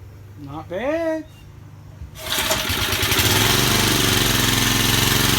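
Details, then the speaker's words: Vintage Cooper Klipper reel mower with an old points-ignition flathead Briggs, on choke after WD-40 was sprayed into the carburetor throat. It catches after a couple of seconds and settles into a steady, even putter with no misses; healthy running. "bad what can i say you cannot beat these old flathead briggs as i don't care what you say"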